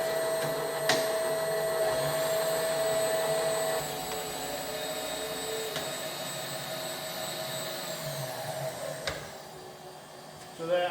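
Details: Rebuilt Bridgeport milling machine, 42-inch table, brand-new power feeds, demonstrating power feed: even motor whine with a steady tone dropping to a lower, quieter hum partway through; smooth, nothing rough or knocking; normal running.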